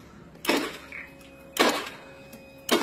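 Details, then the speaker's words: Honda Beat FI scooter with a new battery measuring 12.42 V and a working horn: the starter gives sharp clicks about a second apart but does not crank, and voltage has not dropped. "Oke guys, kita ada kendala Beat FI starternya cetrek-cetrek ya, kayak percis motor Beat Karbo."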